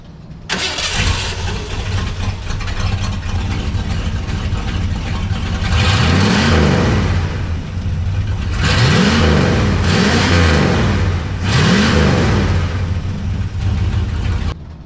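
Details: 1985 Ford F-250 V8 with no exhaust and rebuilt Edelbrock carburetor after hesitation, warmed up 25 minutes: catches, settles to steady idle, then several crisp blips climb and fall cleanly with no stumble; clean revving.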